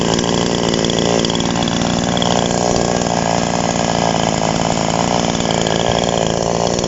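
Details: TOMITSU 5800-body two-stroke chainsaw, sprocket-gear clutch type, just after initial carburetor adjustment with a screwdriver: high, even buzz with a steady clean beat, no misfire or hunting; healthy and well tuned.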